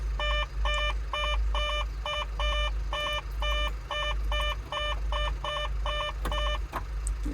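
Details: Construction machine that wouldn't start, near-dead electrics: clipped triple warning beeps about twice a second over low electrical hum; fault alarm, flat battery not the only cause, cause unclear.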